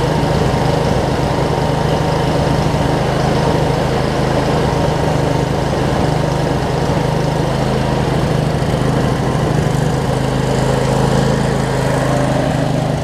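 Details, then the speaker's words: Craftsman DLT 46" riding mower, 25hp Briggs & Stratton V-twin, first run after sorting messy wiring, some smoke burning off around valve covers; smooth steady drone at even speed, no stumbles or surges; normal running. "go back yes these blades are Hey and that v-twin runs good that's some smoke to burn off though"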